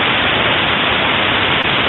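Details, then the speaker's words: Ultrasound monitoring of bearing lubrication with a blocked grease line: a steady, even rushing hiss that never drops in level while grease is pumped, showing the grease is not reaching the bearing. "This lubricated 10 minutes after. Well, it it seems simple, but it was a block grease path. It didn't get there."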